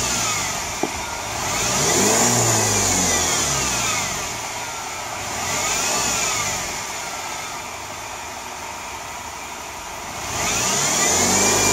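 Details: BMW E90 320i: a high whine rides over the engine, climbing and falling with each rev; suspected worn belt-drive pulleys or alternator bearings, to be checked with the belt removed.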